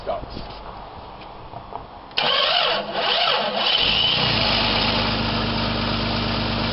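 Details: 1995–96 Jeep Cherokee XJ 4.0 petrol after immobiliser and alarm bypass with fuel pump relay rewired: cranks about two seconds, catches cleanly and settles into steady idle; starts normally.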